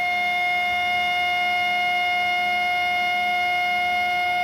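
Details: HP LaserJet 1020 laser printer just powered on: a constant high-pitched whine with several steady tones from inside. It comes and goes on its own, and the failing laser scanner motor needs replacing.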